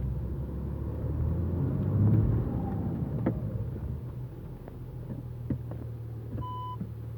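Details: Audi A4 B7 3.0 TDI quattro, warmed up: dull irregular clunks and pops from front end when reversing slowly with steering turned right, louder at higher temperatures, also on hard braking; cause unknown.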